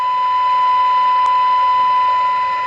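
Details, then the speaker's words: Circa-1977 Sears AM walkie-talkie after receive alignment: clean steady high tone without wavering, on frequency; normal received tone. "Right, so in terms of microvolts, this is it listening to a 100 microvolt signal equivalent there. So that's about on par for the normal sort of AM walkie talkies."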